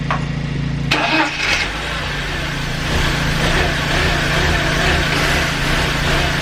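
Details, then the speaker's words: BMW E46 318i during starter motor replacement, started with mass airflow sensor unplugged after failing to start first: crank and catch, then uneven lumpy idle like a lumpy cam; owner suspects faulty MAF sensor, unconfirmed. "I unplugged the master until which I was telling you guys about and it started it sounded like a really really lumpy cam"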